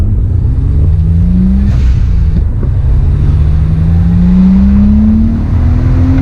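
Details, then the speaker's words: Engine pulls with a rising drone, then sags and falters at upper rpm instead of climbing cleanly; power loss that owner suspects is the engine pulling timing, a recurring problem he thought he had fixed. "it's doing this normal problem again where it like pulls timing i thought i fixed it but you can like hear it as soon as it gets up in the upper rpms it just like falls on its face"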